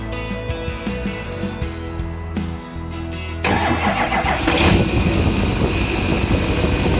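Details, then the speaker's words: Chevrolet Duramax diesel after replacing both idler pulleys suspected of causing a humming noise: it cranks, catches and settles into a steady idle with no hum or whine, so the new pulleys appear to have fixed it. "I don't hear it. So it looks like a fix."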